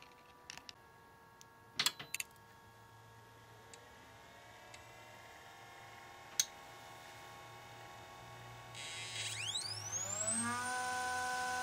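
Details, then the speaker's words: DLP rear-projection TV color wheel motor after contact-cleaner lubrication and vacuum-soaking the bearings: faint hum then a whine sweeping upward without settling; speed regulation not locking, suspected spray residue on the light sensor. "that's a lot better although the speed regulation still is not working right maybe now it's found it nope doesn't seem to be working right"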